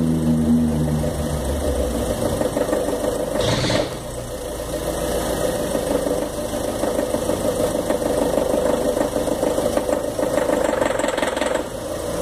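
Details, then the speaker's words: 2013 Fiat Palio Celebration with the Fire Economy engine, loaded while parked with the handbrake on. A loose, irregular metallic rattle over a strained hum, like the pinging heard on hills and downshifts, before it stalls; the mechanic diagnosed bad gasoline and prescribed a decarbonizer. "Imaginei que fosse problemas de de motor e como meu carro é 2013 imaginei que ia ter logo problema com ele mas levei no mecânico Ele me disse que é gasolina ruim"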